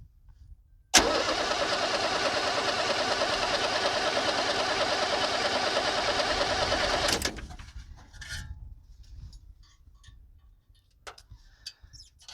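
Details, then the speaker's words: 1978 International Scout II with Nissan SD33 diesel, sat over 20 years, cranked without glow plugs, slightly warm; even cranking about three turns a second for six seconds without firing; owner plans cracking an injector line to check for air. "if it uh it doesn't want to do anything i'll crack an injector line see if there's any air in the fuel"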